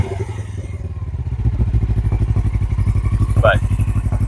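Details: 2007 Suzuki GS500F twin, revived after sitting, started for the son, still needs tires: steady low thumping beat with an even, unhurried pulse and no knocks or rattles; twin idling cleanly, normal idle.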